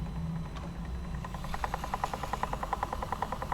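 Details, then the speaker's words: Sony WM-FX661 Walkman playing tape, belt replaced, mechanism previously stuck: steady choo-choo chugging about three times a second under tape hiss, with awful wow and flutter; mechanism dragging, cause not yet confirmed. "do you hear? It's like a choo choo train. So, I guess it's not a very good thing to make this noise. And of course the wow and flatter is awful."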